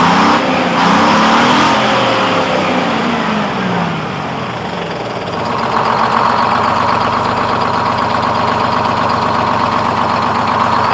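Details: Freshly in-frame rebuilt Detroit 671 two-stroke diesel in a 1948 GMC Silversides PD3751 Greyhound bus, first start, smoother than it has ever started before. Settles quickly from a rev into an even quick beat of about four pulses a second; normal idle.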